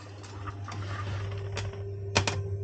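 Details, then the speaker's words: Vaillant Ecotec Plus 831 boiler with repeated F53 faults: light, uneven ticks over a low electrical hum from the heating zone valve; faulty zone valve, synchron motor suspected, not confirmed. "I don't know if you can hear that we've got a faulty zone valve there as well so I'm hoping it's just a synchron motor"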